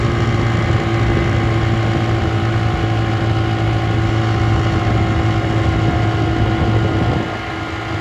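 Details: 1958 Gambles Hiawatha 10hp Scott Atwater antique outboard, restored, completely stock: steady drone with constant whining tone over the exhaust at running speed; gear case whine, which was louder before restoration.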